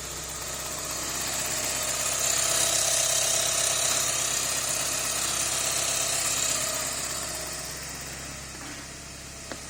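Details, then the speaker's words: Porsche 944 idling after fixing an exhaust leak with a new gasket at the flange from the manifold to the rear exhaust: smooth, even idle with no puffing or ticking, where before it was really noisy and loud. "we just finished uh fixing the exhaust put a new gasket on the exhaust at the bottom of the flange from the manifold to the actual remaining source of the rear of the car"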